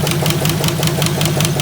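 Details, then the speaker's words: 1951 Buick straight-eight with Dynaflow, abandoned restoration, first run after long sitting: uneven lumpy idle with a steady light tick about five times a second, sounds like a hot cam; noisy valve train suspected, not confirmed. "It's got a real interesting sound. Sounds like it's got a can. I'm sure it doesn't. It sounds like it's got a hot can."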